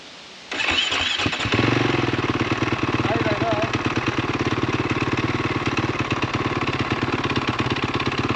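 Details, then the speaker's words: 2013 KTM SX-F 450 with snow bike kit, electric start, reportedly burning oil: it catches after a short crank, then idles with a heavy, uneven clatter from low in the engine. Bottom-end knock; owner suspects a rod bearing. "that sounds like a low end problem not top end problem i'm guessing it needs a rod bearing they did say it was burning oil too"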